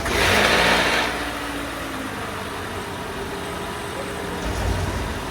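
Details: Toyota Camry with a 2AR-FE engine, diagnosed with front-of-engine noise from a faulty water pump that was replaced: a brief rev settling into a quiet, even idle with no whine or rattle from the front.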